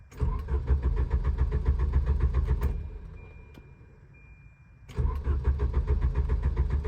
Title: Volvo 740 Crank/No Start